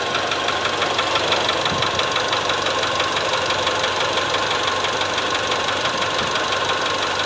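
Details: Mitsubishi Triton/Strada diesel idling with a steady sharp knock over the clatter; unplugging injectors 2, 3 and 4 one at a time leaves the ticking unchanged, so it is suspected to be piston slap, likely from cylinder one.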